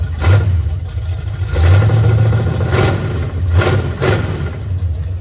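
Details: 1979 Chevy Camaro V8 first start in 4 years, with timing adjusted; loud, deep open-exhaust rumble with a few quick throttle blips, then it keeps running steadily; normal running.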